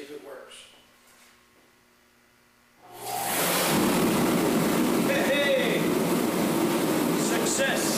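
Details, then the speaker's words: Torpedo heater after $33 repair of mouse damage, lid back on, thermostat up: near silence then a sudden rush settling into a steady even roar with no sputter or surging; heater running normally. "Success! Success! Cost $33, a little bit of time, all because of a stupid mouse."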